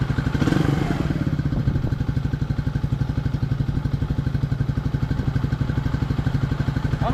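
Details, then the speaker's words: 1999 Suzuki DR200 single-cylinder revived after sitting nearly a decade, 796 miles, first 40 miles ridden, burning some residue off, carb untouched: even steady thump about four beats a second under way, runs cleanly; normal running. "Yeah. burning some [ __ ] off, but it's got 796 miles on. So, we put 40 miles on it. Sounds good."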